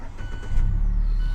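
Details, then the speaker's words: 2016 Mazda 3 that previously wouldn't crank, starting after the corroded positive terminal was cleaned and dielectric grease applied instead of replacing the starter. A short crank, then it catches quickly and settles into a steady rumble; the fix worked. "all right start it right up"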